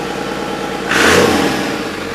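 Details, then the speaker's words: Cummins diesel swapped into a 1942 Chevy truck, run briefly with no radiator connected: steady idle, one quick clean throttle blip rising and settling back smoothly; engine sounds healthy and even. "Alright, well, we might as well hear it one more time. I'm stoked. No radiator hooked up, so we're not letting it run long."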